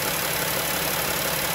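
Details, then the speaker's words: 3.6 Pentastar V6 van after a broken rocker arm and the camshaft were replaced to cure a bank-one ticking: even, steady idle with smooth hiss and no tick from either bank, healthy valvetrain. "But I don't want this video to be long, but Victor, here you go, man. That's how one should sound."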